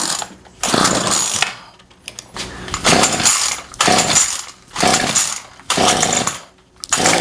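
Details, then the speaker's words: Remington pole saw two-stroke that sat a year, fed premix by hand: fires in short raspy bursts then dies each time; it needs a carb rebuild and new fuel lines, fuel delivery fault at the carburetor. "foreign runs starts up tells me it just needs a carb rebuild and let's put some fuel lines on it"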